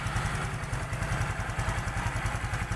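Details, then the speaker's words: Honda XRM125 FI idling after a general overhaul for oil starvation: new connecting rod, 0.50 oversize piston and rings, new O2 sensor; steady even single-cylinder idle, valves silent with no ticking after clearance set; normal idle. "Walang ingay yung barbula natin."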